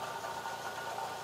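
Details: 2005 Fiat Palio 1.8 (phase 2) at idle: steady, fairly high-pitched whirring rush over a quiet engine, located with a hose stethoscope; water pump bearing noise.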